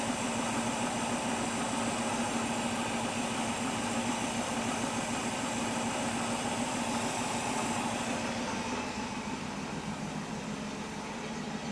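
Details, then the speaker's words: 1967 Mustang with a Holley Sniper 1100 EFI, now running: an even, steady idle with no misses or hunting. AFR is about 14.2 and it doesn't die when given gas. The owner believes a faulty injector caused the earlier no-start. "She's running, I know y'all can't see, but her AFR is at 14.2-ish and going around there."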